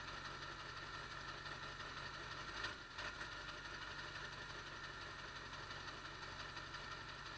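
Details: 1999 Ford F-350 Power Stroke diesel, cold start after replacing the ICP sensor; quiet idle clatter with a brief stumble near three seconds then settling; intermittent rough idle hiccup persists after the ICP swap.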